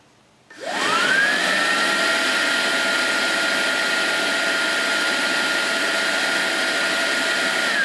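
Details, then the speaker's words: 2011 Mercedes-Benz C300 secondary air pump, removed from car and bench-powered after bearing was regreased: spins up to a smooth steady whir with no rasp or jet-like roar; normal secondary air pump operation after repair. "It definitely sounds a lot better. Doesn't sound like a jet anymore."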